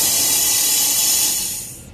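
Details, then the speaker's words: Isuzu NPR/NRR cab-over, 5.2 diesel with loud whoosh on boost, derate and loss-of-boost code; charge system pressurised with test kit: steady sharp hiss cutting off as pressure drops, air leaking along intake pipe flange gasket. "Yep, that's where it's leaking, right there. Right where the intake pipe goes in."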